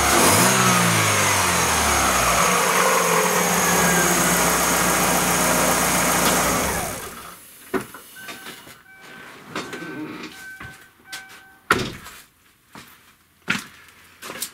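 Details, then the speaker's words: Chevrolet Aveo, mic near the hood, after catalytic converter replaced by spacer pipe: raw, loud engine climbs through sharp revs then settles, harsher catless bark. "звук без катализатора возле капота"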